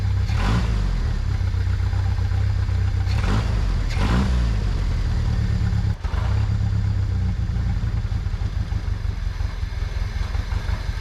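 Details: 1998 Jeep Wrangler 2.5 manual, sat for a very long time, started on a borrowed good battery: uneven lumpy running, sagging and surging, only stays running with starter fluid; owner suspects fuel pump, unconfirmed.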